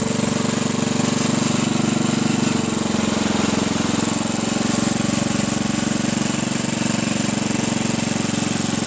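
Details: 1967–68 Sears Suburban on a makeshift vaporizer carb with ball-valve mixture control, one throttle setting, riding along: rapid slightly uneven single-cylinder chugging with faint hiss; mixture not right, so power drops going uphill.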